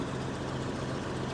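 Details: Case International 2055 cotton picker with an 8.3 Cummins diesel started after fuel lines were reconnected; deep, steady idle with an even low thrum and no misses or knocks, running clean.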